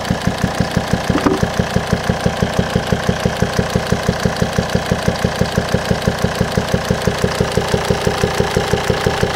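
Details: 2007 Volvo XC90 D5 diesel at idle: sharp, very even pop about three times a second through the air pipe to the turbo and intake manifold; owner suspects swirl flaps or stuck/broken intake valve, unconfirmed.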